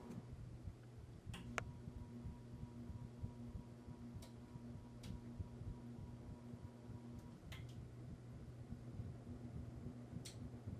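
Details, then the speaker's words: 36-inch Hunter Original ceiling fan, model 22297, on a speed control: steady low hum with scattered light clicks; it hums before spinning, starts at setting 34, slightly noisier with the control. "I can hear it humming, but it's not spinning yet. Let's try 34 is where it starts. It's a little bit noisier with the control, but not much."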